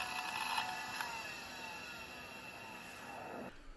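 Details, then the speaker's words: Conner 21 MB IDE hard drive (CP-3024) that the machine could not boot from, stuck at POST: thin high whine with irregular ticking and rattle, then the motor cuts out; drive failing to spin up, cause not confirmed. "But I do want to leave you with some of the sights and sound of this Connor 21 megabyte hard drive."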